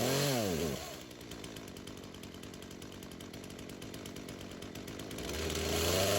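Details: Craftsman chainsaw that sat for years, rerun days later after cool-down: two quick revs rising and falling cleanly, then steady even idle. Carb acting more natural; tip test shows no head gasket or crank seal leak; chain doesn't move at idle.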